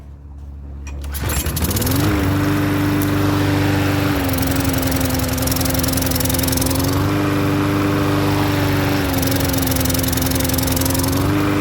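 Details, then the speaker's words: Troy-Bilt self-propelled mower with Briggs engine and key start, which would start on the first pull but not restart after shutoff. After cleaning the dirty carburetor and main jet, one pull fires it to a steady, even run with small governor shifts. "i cleaned that out cleaned out the main jet and now she's starting on a regular"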